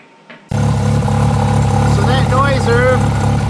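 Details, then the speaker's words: Turbo Mazda RX-7 FC rotary with about 20 miles on the engine: loose metallic chatter over the choppy rotary idle, steady with the engine beat; the wastegate is hanging open and flapping at idle, as if it has no springs, and was found left loose. "the wastegate being open on idle, strangely enough. Like it has no springs in it."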